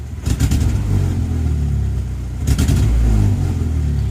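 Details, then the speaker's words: 1997 Honda Accord 2.2L VTEC F22B1, warmed up after 10 to 15 minutes of running: it stumbles and pops unevenly on throttle blips, then settles to idle; severe misfire under throttle; a catalyst efficiency code (P0420) was cleared earlier. "It um too much pressure on the gas pedal causes it to misfire. And the misfire is uh pretty severely."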